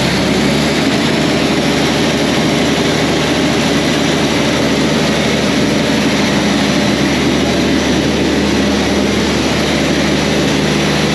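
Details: Tractor 8320 diesel with a freshly rebuilt engine, running after adjustments and the fuel primed: a loud, steady roar at one even pitch with no knocks or misses, exhaust not fully hooked up; running smoothly.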